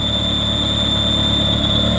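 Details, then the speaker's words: Ferrari 360 at idle: steady high-pitched whistle over smooth idle that goes away under full load; owner suspects a vacuum leak, possibly belts. "but listen hear that foreign play like a vacuum leak either that or the belt or in the belts but if it was a belt why would it go away faster no it's under full load it goes away I think it's a vacuum like"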